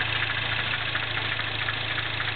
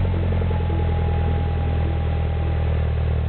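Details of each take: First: 2008 MINI Clubman S, turbo 1.6, 6-speed, Magnaflow cat-back exhaust, cold idle, hood open: quick light steady ticking knock over the engine; owner suspects valve tap or something with cam timing, not confirmed. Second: 2008 Mini Cooper Clubman S, turbo 1.6 petrol, 6-speed, stainless MagnaFlow cat-back exhaust, cold start after a week sitting: deep, steady low exhaust burble at even idle, smooth, not raspy, no ticks or misses; normal cold start idle.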